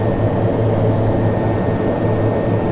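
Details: TBM 930 turboprop after cold start, 5°C morning: smooth steady roar with faint high note, no surging, bleed off, battery amps still charging; normal idle.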